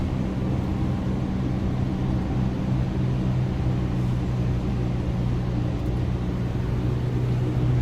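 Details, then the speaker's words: Subaru Outback Limited wagon cruising on the highway at about 80 mph: a constant low buzzing drone over road rumble. It is not from the jersey barrier, and a mechanic says it is not the tyres; cause unknown. Buzzing drone at highway speed. "I used to think it was the noise coming off the jersey barrier but it's not like when I'm on the highway doing 80 miles an hour it's loud"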